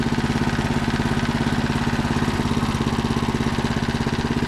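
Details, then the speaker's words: Predator 224cc engine on Mega Moto minibike just started via electric starter kit and 18V Ryobi battery, choke on: single cylinder putting along in an even regular beat, no misses or knocks; normal idle. "at that it's running i like it i like it"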